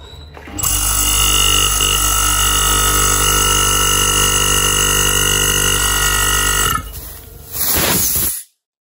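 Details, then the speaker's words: Split AC compressor suspected low on oil, before oil change, also smoking at pipe: loud steady whining drone with harsh buzzing edge for about six seconds, then winds down; rough noisy compressor, low oil suspected, not confirmed. "terus kadang ada juga si kompresornya ini yang bunyinya kasar"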